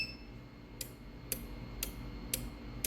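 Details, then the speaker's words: Universal Chinese AC PCB control kit at power-on: light, sharp ticking about twice a second, caused by a faulty IC on the display board; fix is replacing the display. "देखें दोस्तों, ये है इसका display. इसके display का ये वाला IC ख़राब है, ठीक है।"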